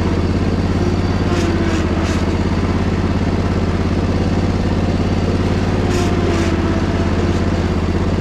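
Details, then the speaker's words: Crusty Poulan Pro zero-turn, deck engaged and driven uphill in the rain: a steady, even low throb with no knocking or grinding from the blades and a very quiet muffler. Normal running. "man I can't believe how good this thing sounds Muffler is super quiet so"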